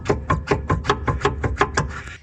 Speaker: And when they're worn out and a bit knackered, that's what they sound like.